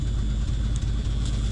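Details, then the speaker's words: Mercury Comet barn find after winter storage, fuel line work, 37°F cold start on poured fuel: low, lumpy idle with brief dips and stumbles, still rough as it begins warming up and coming around. "there we go now it's starting to warm up and come around a little bit all right was less of a fight than I thought"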